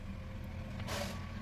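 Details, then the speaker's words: 4440 IC amplifier board on 12 V with one IC crackling and the other silent; touching the input with tweezers gives steady mains hum and crackle, showing the IC works. The fault is traced to broken volume-supply wiring. "Touch करते हैं यह volume भी हमारी यहां पर आवाज touch करते हैं तो चि चिर की आवाज आ रही है"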